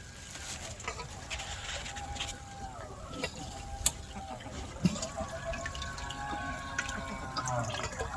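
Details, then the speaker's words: Pool circulation pump cycling on with heater in anti-freeze mode at about 38°F; water trickling and splashing as faint steady pump hum starts and runs evenly, normal operation. "So, it's cycling. You can hear the pump operating."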